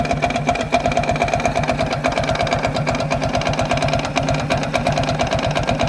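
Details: Viper Active moped idling with an uneven, fairly fast knock, about three a second, like detonation; it began after a 15 km highway ride. Cam chain tensioner checked and ruled out. Engine knock, cause unknown.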